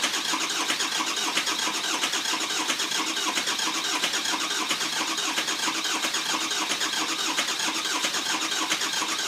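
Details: 2004 Ford F-450 6.0 Powerstroke after oil cooler replacement and EGR delete, batteries fully charged: steady starter cranking at about ninety beats a minute with brief firing puffs, but the diesel never starts; long crank no start, cause unknown.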